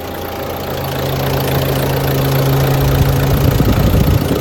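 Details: 2016 Ford Transit Custom 2.2 TDCi diesel, first start after replacing the high-pressure fuel pump: it fires up quickly and settles into a steady diesel clatter at idle with no stumble or misfire. Normal diesel idle.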